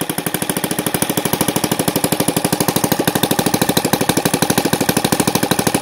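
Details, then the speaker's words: NGH FG 38 model engine, CH ignition timed at 30° BTDC, Topflight 20x6 prop, at top end: rapid, uneven firing with surging and reluctance to rev higher. Rough running; owner suspects the carburetor, fuel pooling, and a bigger venturi needed. "at the top end I hear and I feel the engine like he wants to go more and it has a little bit of a surging he wants to brave up a little bit more and something is going on"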